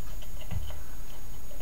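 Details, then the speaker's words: Homemade static-charge "lightning motor": sharp irregular ticks a few per second over steady low hum; spark gap clicking when it jumps, gaps when arcing inside instead, gap needs adjusting. "yeah you hear that click and whenever it's not jumping across that's because it's arcing inside"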